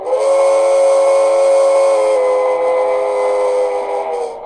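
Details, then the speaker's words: Broadway Limited steam locomotive: steady whistle tone with a harsh rattly buzz on every chuff; loose speaker not snug in the tender shell, vibrating against it. "hear that awful vibration you can pretty much hear it every time it chuffs"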